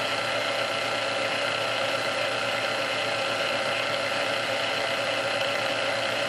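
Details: Previously restored Sunbeam Mixmaster Model 12, back under warranty for rapidly overheating its resistor; after all internal parts were swapped and it was oiled and speed-adjusted, it runs on low with a steady, even hum, no surging, rubbing or catching: running smoothly.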